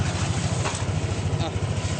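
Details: Scooter at idle, first start after its CVT parts were cleaned, reassembled and tightened. A low, even putter with no rattles or scraping from the belt drive. Sounds like new and healthy.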